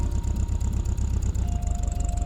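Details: 1965 VW Beetle after partial engine rebuild (piston and rings replaced on weak cylinder): steady, even low putter at idle, smooth regular beat, no knocks or misses; healthy idle.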